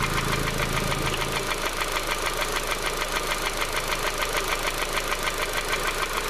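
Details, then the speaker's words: Honda CR-V petrol, warmed up, engine slowed to idle: steady sharp knock about three beats a second; suddenly developed, not found on serpentine belt with screwdriver stethoscope; valve clearances investigated, visible cam wear. Engine knock at idle. "well the engine has slowed down it's warmed up and you can hear that knocking now"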